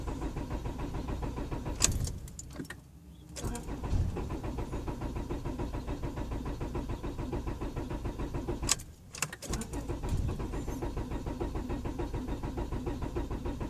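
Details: 1999 Honda Accord LX crank, no start: starter spins engine with even rapid chug, about three per second, in two bursts, never catching; main relay solder joints checked fine, spark present at all four plug wires; cause unknown.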